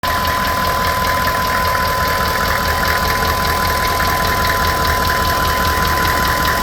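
Steady idle with a faint, somewhat uneven knock about two or three times a second riding over the engine; knocking, cause unclear.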